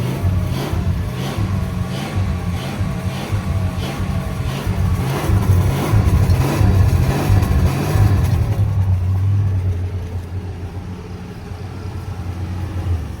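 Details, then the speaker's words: 1965 Plymouth Barracuda slant six, parked since 1994, first run after 30 years: steady low drone with gentle revs, no knocks or ticks, not smoking badly though it won't idle on its own; sounds mechanically sound. "That's not bad. That old motor sounds good, don't it? Yeah, sounds way too good. Yeah, it does."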